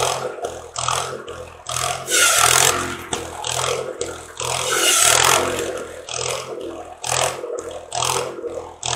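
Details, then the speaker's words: Wisconsin THD engine on an antique buzz saw rig that sat unused for years, after clearing a mouse nest for cylinder cooling airflow, cutting slab wood: steady low beat while the saw rasps in bursts, never stalling or bogging; normal running under load. "well i'd say that was a successful test run and uh of the thd wisconsin um wisconsins are great little motors very uneconomical they burn a lot of fuel but they're a great motor run run forever if you take care of them"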